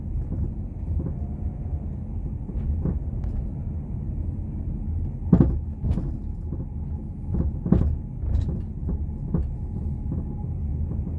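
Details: 2010 Nissan Rogue driving with low road rumble and irregular sharp clunks and knocks when turning and over bumps, from worn subframe bushings, often misdiagnosed as end links or struts.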